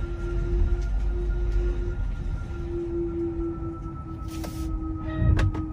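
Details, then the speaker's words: Tesla Model 3 Performance, unused for two weeks, put in reverse with parking brake set and windows down: soft steady drone, the normal federally mandated pedestrian warning sound in reverse. "the new model threes actually have this thing where it's federally mandated where you put it in reverse and it has to make a sound"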